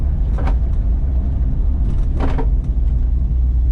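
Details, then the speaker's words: 1970 Buick Skylark, built Chevrolet V8, automatic overdrive, staggered 15" wheels, on a test drive, heard inside: deep road and engine rumble with two brief rubbery scuffs as the right rear tire just barely catches the inner fender. "noise that you're hearing is that back right rear tire kind of catching the inner fender just barely I mean it's just barely touching you but it sounds a lot louder inside the cars"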